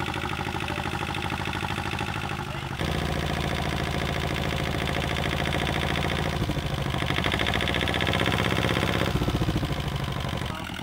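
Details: Replacement inboard diesel for an Etap 30 sailboat, run in the workshop with the exhaust off, cooling water from a separate can, started after bleeding: steady, clattery, noisy, clunky old-diesel idle with an even beat; normal diesel idle.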